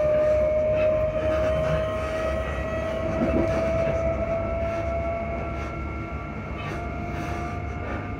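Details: Class 334 train running between Edinburgh Park and Haymarket: a steady high whine fades out over the rumble of the running gear; noisy suspension, cause not pinned down.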